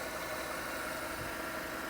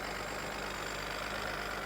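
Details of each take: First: Chevrolet Tahoe 5.3 L V8, under 100,000 miles, dealer trade-in at auction, under the hood: steady, even idle hum with no knock or tick above it; idles smooth and quiet, no red flags. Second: Auction car with a newer battery and newer vacuum lines, under the hood at idle: steady idle with a loud, busy clatter and hiss, no clear rhythm; runs better than before but still noisy.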